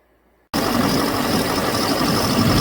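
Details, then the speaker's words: 2007 Chevrolet Silverado 6.6 Duramax LMM diesel with replaced used engine: rough idle misfire with injector 6 and 7 control circuit codes; tech leans toward failed ECM injector driver; later seemed to clear after cycling connector 108. "it has a misfire in it when it's sitting there idling and it's got injector 6 and injector 7 control circuit codes"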